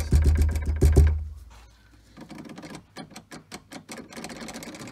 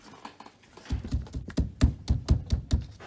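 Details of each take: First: Tesla Model 3 rear left door shaken, giving quick plasticky clattering bursts near the latch; cause is the loose emergency release sitting in an in-between position; fix is holding it fully in or out. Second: Firm, dull thumps on the rear left door panel of a Tesla Model 3 after securing the emergency release cap with double-sided tape; no buzz or loose rattle after each hit, the rattle is gone.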